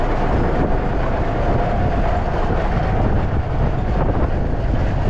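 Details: Cabover truck diesel after a fuel filter change and throttle arm linkage fix: steady low rumble with an even beat and a faint hiss of air pressure building; it fired right up and idles smoothly.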